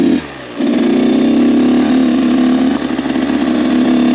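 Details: Rebuilt Kawasaki KX 85 two-stroke, maiden ride during break-in, shifting into third; crisp note pulling cleanly through the gears on a gentle ride, quiet, no rattles or misses; engine healthy.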